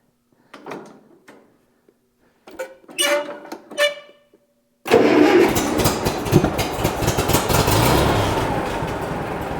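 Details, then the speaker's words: 1960 Massey Ferguson 35 tractor after oil change, started on gasoline left in the carburetor bowl with fuel line disconnected: a few cranking tries, then steady, even running, nothing rough or knocking; oil pressure came right up. "Yeah, everything sounds good so far. Oil pressure went right up."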